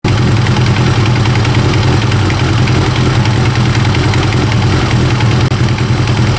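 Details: Kawasaki ZX9R first-generation four-cylinder idling with a dry, uneven rattle from the top of the engine: slack cam chain, addressed by resetting the cam chain tensioner.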